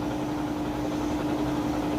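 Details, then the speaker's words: Three-year-old Whirlpool HE washer on its third, high-speed spin stage with the drain pump running: even, steady whirring with a constant mid-pitched pump tone, no thumping or scraping; normal smooth high-speed spin. "Alright, and we're on the 3rd spin cycle, which is the high-speed spin. And it's spinning. I'll let you see that it's nice and smooth."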